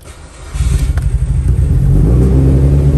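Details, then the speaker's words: Car sitting unused a long time in cold Georgia weather, after many attempts: engine cranks, catches and climbs into a steady, even rumble as it warms, no misses or knocks; starts and runs. "i thought i was going to try to cut off but as you can see um don't know if y'all can hear me but you can see she runs"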